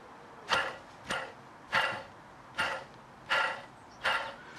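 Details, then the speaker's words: Fiat Panda 4x4 Sisley, wheel off, bearing spun by hand: six rasping, gritty bursts about two-thirds of a second apart, the noise heard inside the car; worn wheel bearing, to be replaced. "the noise I've been hearing inside the car yeah somewhat so we'll change that"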